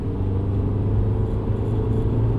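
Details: 2007 VW Golf GT TDI, 2.0 L BKD 140 hp diesel, second gear at about 3700 rpm: steady low ~110 Hz drone with humming vibration through whole car, also at 1800 rpm and in fourth; owner suspects driveshaft or wheel bearing.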